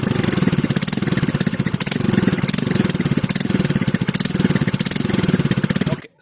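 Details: TVS scooter at idle before shutoff with the stock silencer: loud, sharp, rapid exhaust pulses with a raw crackly edge from a leaking exhaust bend pipe, later welded and the bend pipe replaced.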